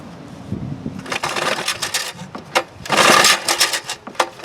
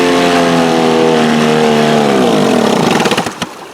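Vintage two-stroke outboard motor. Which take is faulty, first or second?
first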